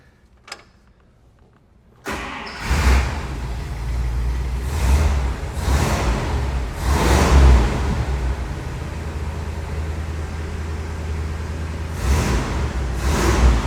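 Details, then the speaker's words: 1956 Buick Century, freshly professionally rebuilt V8, after vacuum advance hooked up; fires and settles into steady, even idle with deep smooth burble and small throttle blips; runs good with really good oil pressure, healthy. "that thing runs good now. Nelly, we got really good oil pressure."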